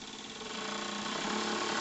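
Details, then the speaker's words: 1 cm³ twin-cylinder Stephenson-link model steamboat engine run on air after 20+ years on a shelf: fast, even chuffing rising in pitch as pressure goes from about 200 g to roughly 800 g; spins quickly with modest but real torque. "regardez à 1 bar comme il va vite. Bon, le couple n'est pas phénoménal, mais j'ai un vrai couple déjà."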